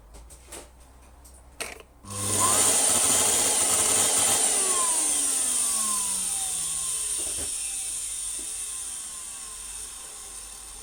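Harsh high whine jumps in at switch-on, then slowly sinks in pitch as it runs; motor sounds distressed, maybe burnt, not confirmed.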